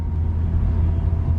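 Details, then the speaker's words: Honda (Acura) TSX 6-speed after restoration, custom exhaust, driving while breaking in the clutch: deep, soft low rumble with no drone, rasp or leak ticking; exhaust quiet and sound. "even the exhaust is quieter for a custom exhaust listen to it so just driving it around breaking in the clutch"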